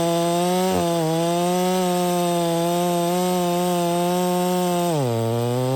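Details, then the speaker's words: Stihl MS 660 with a 32-inch bar cutting pine after carburetor and air filter cleaning fixed its failure to hold idle: strong steady two-stroke howl at high revs, pitch sags briefly in the cut then recovers without bogging; healthy. "I know it's just Pine but that was pulling it no problem the whole entire 36 32in bar man 660 that's a beast brother"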